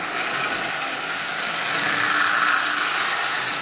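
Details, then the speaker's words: Marx 999 toy train locomotive with double reduction motor, built from junk parts, first test run forward only: steady high-pitched buzzing whir with a rough gritty edge, no knocks; an old worn, noisy motor. "you know it's far from perfect it's an old noisy motor as you can hear"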